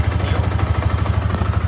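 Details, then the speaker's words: Yamaha R15 v2 single-cylinder motorcycle after sitting unused for years, started with the battery connected: even, steady thump at idle, no misses, crackle or ticking; earlier idle issue and noise appear fixed; normal idle. "Moment of Truth will it start and will it stay started perfect so I think the idle issue is fixed and I don't see the sound anymore"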